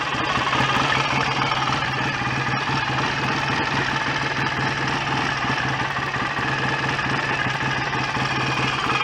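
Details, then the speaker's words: BSA A65 twin after engine rebuild, idling during strobe ignition-timing check: steady, even regular beat with no knocks, rattles or misses; no leaks or smoke, sounds healthy and probably correctly timed. "all sounds fairly happy with life to me"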